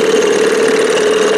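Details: 1987 Johnson 6 hp outboard on its final run, a tube cut out: steady, very loud high-pitched drone with no misses or surging, harsh and racy, excessively loud running.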